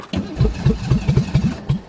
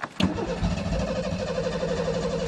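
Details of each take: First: Ford Taurus convertible cold start in deep snow: the starter cranks in uneven pulses, about eight compression beats, as the cold engine struggles, then it catches and starts to run. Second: Ford Taurus convertible cold start in deep snow, fuel pump not heard: starter cranks steadily while the engine coughs and stumbles in brief bursts; hard cold start.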